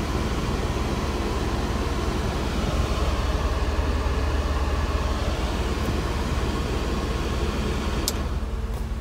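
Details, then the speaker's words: Mercedes W124 idling with AC on high, electric cooling fans forced to high speed via manually installed switch (auxiliary high-speed function not working, ground suspected): constant rushing roar, steady, not horribly noisy. "Yeah, you can hear that high speed fan. Fans. Not horrible noisy, but you can hear it."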